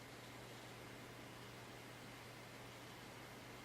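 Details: Packard Bell iMedia S3720 desktop tower after restarting, starting Windows: low steady hum with soft even air hiss, no rattle or surging; the rear case fan now spins very slowly and quietly, normal.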